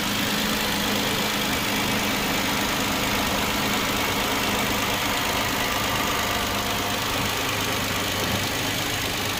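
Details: Hyundai Genesis 3.8L at first start-up: busy metallic rattle over a fast idle, a bright chatter riding steadily on the engine note; cause undetermined.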